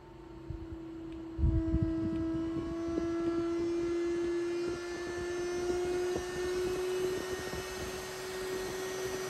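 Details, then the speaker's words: Dyson Pure Cool Me BP01 fan/purifier powered on: steady slightly rising buzzing whistle over the airflow, gone without the filter; caused by a dirty filter-to-case seal, fixed by cleaning and reseating the gasket. "Turn on the power... There is a whistling noise"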